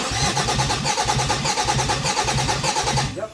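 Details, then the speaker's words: 2008 Dodge Nitro, first start attempt after an engine change: fast, even cranking with no firing; spark is confirmed and the fuel pump can be heard, and a lack of fuel is suspected (no injector pulse). "Okay, good. Good, I have spark. I might just be lacking fuel."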